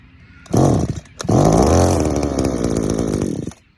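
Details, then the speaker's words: Two-stroke strimmer powerhead freshly started with choke off: uneven low-rev burble that fades and dies because idle speed is set too low, and the high-speed screw is also thought too rich; idle to be raised. "okay we're going to bring the idle up a bit"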